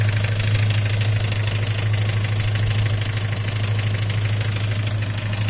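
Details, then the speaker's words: Great Wall Pegasus engine at idle, knock unchanged after replacing hydraulic lifters; faint regular tapping about three a second over idle drone, ringing sound traced with a stethoscope to the oil pump drive; owner hopes it is not the camshaft. "Работа двигателя такая. Думал, гидрокомпенсаторы поменял, ничего не изменилось. Но прослушал эндоскопом, приставил на привод масляного насоса, скажем там, и отсюда идет звонкий звук."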